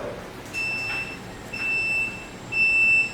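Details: Solax Transformer automatic folding mobility scooter, key turned back on to unfold: three clean high beeps about a second apart, each half a second long, over quiet room noise. Normal power-on and unfold signal.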